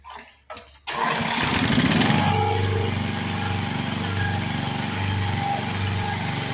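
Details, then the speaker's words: 7 hp Briggs & Stratton single, revived after 15 years in a shed, more fuel added and bolted to a board: a couple of recoil pulls, then it catches and settles into a steady, even beat with no knock, miss or smoke; runs healthy. "I just wanted you guys to see that I did get this thing running to the potential that it should."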